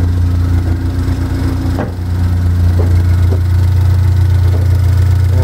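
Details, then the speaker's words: Pontiac Solstice turbo engine idling after its first start-up with a newly installed EFR turbo on the OEM tune. Air-fuel ratio looks good, there are no codes and no oil or coolant leaks. Deep, steady idle with no knocks or hiss. "anyway around here everything sounds good everything looks good"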